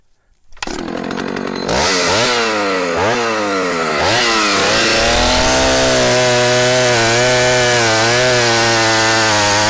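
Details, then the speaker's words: 44-year-old Husqvarna L65 vintage chainsaw cutting a big oak log after being revived: a few sharp revs, then a steady, slightly lower drone as it bites in; lower rpm than modern saws but lots of torque, pulling evenly, healthy under load. "this uh saw doesn't the rpms on this uh are not as fast as the current models of saws but it's got a lot of torque"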